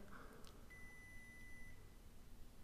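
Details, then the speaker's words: Arduino water detection alarm prototype: steady one-second high-pitched beep over quiet room hiss as the sensor probe is put in water, LED lights, stops when pulled out. "So, you can hear it beeping now. And notice the LED also comes on and I can pull it out and it stops."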